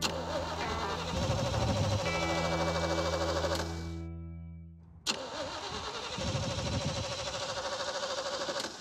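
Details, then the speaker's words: Freiburger's 350 V8 1981 Jeep Scrambler, which used to fire up instantly and now idles terribly, cranks with a steady churning rhythm, stops, then cranks again without catching cleanly: hard starting, long cranking before firing. "the Jeep wouldn't crank again like the battery was dead and we've also been having a problem where it just it idles terrible this thing used to fire up instantly"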